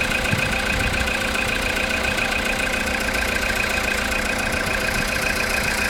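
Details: Engine just after a cold start following overnight parking: steady idle with a light, fairly regular tapping knock about three or four taps a second; quieter when revved, gone after 10 minutes warm-up or 2–3 minutes driving.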